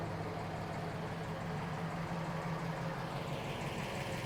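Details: 1970 Chevrolet Camaro Z28, numbers-matching LT1 V8, 4-speed manual, 12-bolt rear, 95,840 miles, off the road since 1980; smooth, even low V8 burble with steady pulse, no ticking or knocking. Steering bushing needs work. Normal healthy idle.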